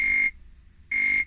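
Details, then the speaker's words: Atari 520STFM at power-on gives steady high beeps about a third of a second long, roughly one per second; another keyboard still beeps, so not the keyboard itself: keyboard controller fault. "ok so you can still hear beeping away and nothing wrong with this I've actually tried another keyboard on it and it's still beep so it's not the keyboard itself"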